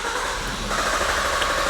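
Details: 2017 Suzuki Swift towed in as crank no start: steady starter cranking with even compression pulses that never catch; relay switches on cranking but fuel pump not running, pink pump wire still unchecked.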